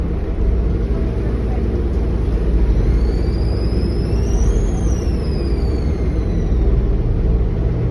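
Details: NXWM 2140 diesel bus: a high whistle climbs and falls in pitch over the low diesel rumble. A strange turbo whine, cause unknown.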